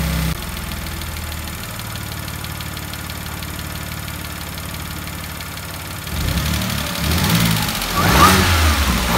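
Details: Salvage Audi S4 after fitting the crank pulley, new idler pulleys and both belts: a smooth, even idle, then clean rising revs with no knock or belt squeal. Normal idle and revving.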